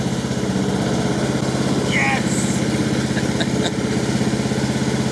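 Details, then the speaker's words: Husqvarna LT1538/LT1597 lawn tractor, replacement engine just started on quick-start fluid, with a homemade TIG-welded rebuilt muffler: steady, even low putter at fast idle with no misses, knocks or exhaust rasp; runs smoothly and very quietly. "i'm super stoked with that i can't believe how quiet it is actually"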